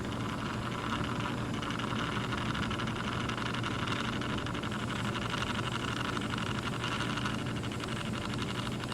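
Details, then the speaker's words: 1990s First Alert LS 230 mechanical lamp timer, plugged in and running: low steady electrical hum with faint higher buzzing that never changes; the timer motor runs noisily all day and night, dial has stiff spots but still keeps time. "oh yeah it's running all right and it makes that noise all day and all night"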